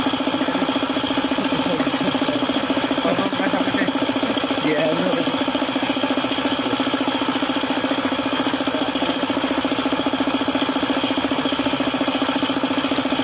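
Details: Suzuki F6A engine at constant idle with a sharp even tapping, about three or four a second; knock from oil starvation after the oil pump failed.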